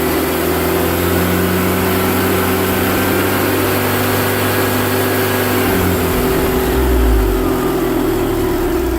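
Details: BMW Mini Cooper R53 with refitted supercharger: steady engine run with a constant whirring drone that doesn't change with revs, present for 12 months; supercharger starved of oil by a collapsed oil tube from rocker cover to supercharger, found and fixed.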